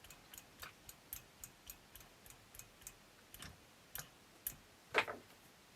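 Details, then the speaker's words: 1976 Astor MF029 flip clock radio after its clock motor was lubed: soft, fairly regular ticks about once a second with a few louder clicks from the gear train. Gear ticking, cause uncertain. "Not sure it's made any real difference, but whether I'll feel it cuz we are turning a lot of gears in there."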